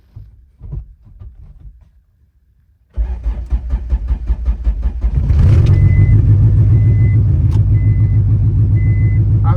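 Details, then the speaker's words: Honda Civic budget turbo build, start after owner's fix, battery reconnected, low on fuel: quiet cranking, then engine catches cleanly and settles into a steady, even idle with no knocks or misses, left to warm up; healthy start. "love that sound. I'm so not used to it. So, let's let it warm up for a little bit."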